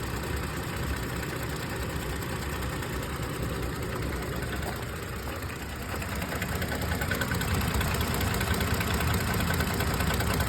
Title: 2022 12k miles Tacoma engine knock/tap